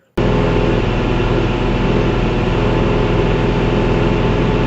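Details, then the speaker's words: Canard experimental aircraft piston engine at 2,500 rpm cruise: a steady drone with a slow throb as rpm surges about 20 rpm up and down. An ignition system fault is suspected, not confirmed. "If you can hear in that video, it's actually the engine. The engine is actually surging up and down 20 RPM."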